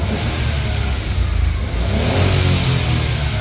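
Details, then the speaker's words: Nissan Micra rebuilt with an engine swap, suspected throttle body issue, revving while coolant bleeds. It climbs and falls cleanly with a smooth, even note and the throttle answers promptly. Warning lights, including ABS, come back on after clearing codes. "I'm just trying to get the coolant to bleed up at the minute. So we can hear the wee car revving up, so"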